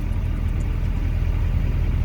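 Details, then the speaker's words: 2001 LB7 Duramax diesel, warmed up after a road drive, idling very smooth with a deep even rumble, no knock or miss, after a Liqui Moly diesel purge for intermittently sticking injector #4; owner suspects the purge also cleaned the fuel pressure regulator. "all right we got her up to temp drove her out the roadways and it is idling very smooth"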